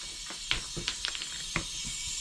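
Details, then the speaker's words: Suzuki DF6A 6 hp outboard during a leak-down test: a steady airy hiss from the oil dipstick tube with a few handling clicks. Air blows by into the crankcase, with little from the carburetor and none from the exhaust, and the owner thinks the rings are bad. "That's not good. Well, there's your problem. I think the rings are bad."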